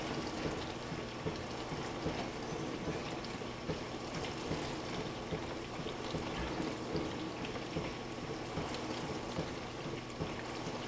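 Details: Frigidaire LFBD2409LF2B dishwasher, two years old (bought 2015), diagnostic test step 5 WASH HEAT, wash motor and heater activated for 75 seconds; steady spray and sloshing with low pump hum, no grinding or knocking. Normal wash cycle.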